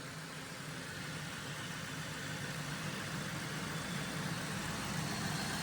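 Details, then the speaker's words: Salvage Cadillac Deville V8 idling while warming up after a new PCV elbow and the reinstalled power steering pump: smooth, even low rumble with no belt squeal, ticking or fluid leak. It runs healthy. "Belt's not squealing. I guess I did get enough of the fluid off and ain't leaking there."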